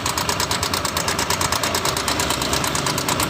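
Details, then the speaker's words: Honda Vario 150 scooter, engine noisy for about a week, just after starting at idle; fast regular metallic ticking about two a second from the engine top; mechanic suspects cam chain or valve rocker arm, not yet disassembled. "Nah, kita starter. Nah, di sini ada suara berisik di bagian mesin."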